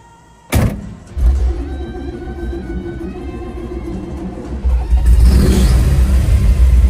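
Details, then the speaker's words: 1955 Chevy 210 with 427 big block, tunnel ram, dual four-barrel carbs, 4-speed, on a drive after race gas added: strong even pull with rumble rising cleanly on throttle, no misfire; running better than the day before. "well it's running better than it did yesterday I can tell you"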